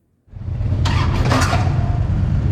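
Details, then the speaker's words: 2007 Harley-Davidson Ultra Classic starting slightly erratically: the engine catches with a brief metallic clatter in the first second, then settles to a low rumble. This is compensator noise on starting, fixed later by a compensator job. "recently you would have joined me on an Epic Journey of Three episodes to fix a particular noise that I had when the bike was starting slightly erratically have a listen"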